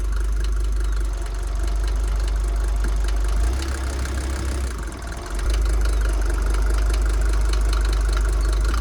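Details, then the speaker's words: Mercedes T1 310D OM602 diesel after top-end rebuild and engine reinstall, in neutral after glow plugs: deep idle drone with a sharp, fairly even rattle about three to four beats a second that persisted after the rebuild; cause unknown. "let's do the clutch feels good still got the rattle I knew it would would still be there everyone was like no it will be fixed"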